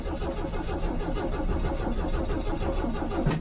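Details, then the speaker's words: 1983 Jeep CJ7 with new battery, cranked without touching the gas after sitting: steady rhythmic starter cranking with even compression pulses but no firing, as fuel had evaporated from the carburetor; crank no start from fuel starvation. "about what i expected because normally you're not gonna have gas down in the system because it'll evaporate out"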